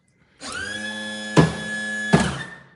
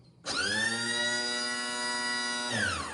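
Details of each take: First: 2012 Lancair Legacy hydraulic gear pump during a gear swing on jacks: starts with a steady whine running unloaded, two solid clunks about a second apart as the dump valve and gear doors close, then winds down and stops; normal cycle. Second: 2012 Lancair Legacy aircraft, electric hydraulic gear pump switched on with the dump valve open: steady, even high whine with no strain or pitch drop, pump running with no load.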